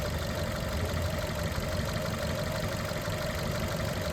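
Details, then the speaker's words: 2021 Maruti Suzuki Dzire petrol/CNG with check light on and codes P0171 lean, P0300 and P0302; starts fine: rough, lumpy idle with an uneven low beat and strong vibration, cylinder 2 misfiring. Faulty ECM given as the cause. "Engine में कंपन है। यह पता चल रहा है कि कोई सिलेंडर इसकी मिस फायर है। कोई सिलेंडर इसका काम नहीं कर रहा प्रॉपर।"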